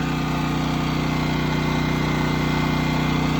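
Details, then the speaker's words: Westinghouse WGen9500 DF generator running on gasoline after break-in, powering a 4-ton AC unit and the kitchen with no soft or hard start kit. A steady, even drone with an unchanging low hum holds speed under load without hunting or stumbling, and it is not much louder than the owner's Predator. "It's not really that much louder than my Predator either. WGen9500 DF Westinghouse. Running on gasoline right now. Running my 4-ton AC unit."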